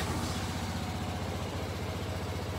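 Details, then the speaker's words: Kymco scooter that had started running poorly, after troubleshooting the vacuum-operated fuel valve/pump and turning the idle down; small single idles with quick, even pulses, no misses or knocks; normal idle after repair. "the test ride was a success this scooter is running considerably better should fire right up"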